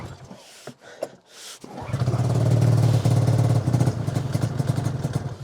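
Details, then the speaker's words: 2005 Arctic Cat Firecat F6 two-stroke snowmobile, sat since last winter, cold start at -7°: a few rough pulls, then it catches and runs loud with uneven popping pulses. Hard cold starting, now running. "Oh, there we go. It wants to go. Come on. She almost went. She's cold."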